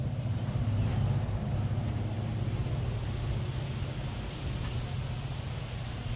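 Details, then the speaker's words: 1970 Dodge Charger with a 383 V8 and an oversized 950 Holley 3-barrel carburetor, settings not yet adjusted after it was shooting fuel; deep, lumpy uneven rumble with no crisp firing, flooded and running far too rich. "It sounds pretty cool, but the engine ain't running real good. It's pretty flooded, and I ain't had time to dig with the settings on the carburetor, but we're gonna fire it up one more time for you."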